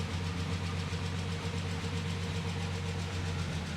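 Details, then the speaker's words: Rolls-Royce Phantom III V12 imported from Japan, just started after months of restoration: fast, light ticking over a smooth low idle, steady without revving; tappet noise, still work to do. "Oh, there's all sorts of things to do to it, but you can hear the tappet noise and all that sort of stuff, but my golly, it's..."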